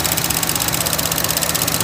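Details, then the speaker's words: 2013 Chevy Cruze petrol engine idling with a loud airy hiss over the pulse, a vacuum leak from the failed PCV valve in the valve cover, throwing MAP and lean codes; fix is replacing the whole valve cover. "if you're having that hissing sound first thing rod will put your hand you can finger right there put it right there like most likely that's where it's coming from"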